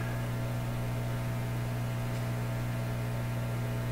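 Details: Canadian Admiral J104X/J105X console tube amplifier with unresolved oscillation problems and a component failure: steady low buzz at a fixed pitch, unchanging, nothing else playing; mains hum.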